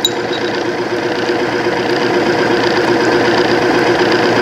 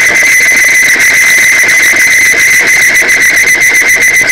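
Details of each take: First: Timken OK load test machine, arbor deliberately damaged then run warm with Cerma 10W-30 oil, two to four weights loaded; steady mid-pitched hum with faint even ticking, noise quieting down; smooth running under load. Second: Timken OK load test of Amsoil 10W-30 synthetic oil, three to five weights added: loud piercing squeal with fast chatter as the test block seizes on its ring; lubricant film breakdown.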